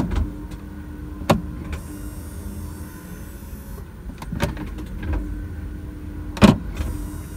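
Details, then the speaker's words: 2004 BMW E46 330Ci SMG/SSG gearbox hydraulic pump running with ignition on while bleeding after fluid work, after being stuck in first; low steady electric whir with a few clicks, pump operating normally. "but now we're going to try it with the ignition I hear it going that's good"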